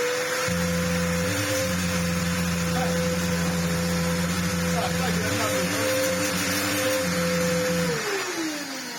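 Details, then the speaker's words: Samsung SU-2911 Jet Propel Light bagless upright vacuum at its first test before servicing: steady motor hum with a thin high whine that sags and winds down at switch-off, a noise from below and no suction. Airflow blockage suspected, not confirmed. "well it's making a lovely noise from somewhere down below and there is no air"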